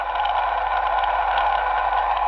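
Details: 2006 Nissan Altima, water pump checked with a Steelman electronic stethoscope probe: only a smooth, even hum with no grinding, clicking or rumble; water pump bearing sounds healthy while the alternator and tensioner pulley are the noisy ones.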